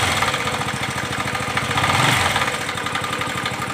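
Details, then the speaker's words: Bajaj Pulsar 135 motorcycle: a strange noise that only appears with the engine cold, rapid uneven tapping about three to four per second over the idle exhaust beat; the owner asks for help and the cause is unclear. "si alguien me ayudará con este ruido que tengo en mi pulsar 135"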